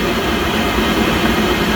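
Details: Pentair Master Temp 400 heater not heating: combustion fan runs, heating light flashes, gas solenoid clicks and gas smelled but no ignition; steady fan roar, no light-off; vacuum switch tested good, igniter suspected.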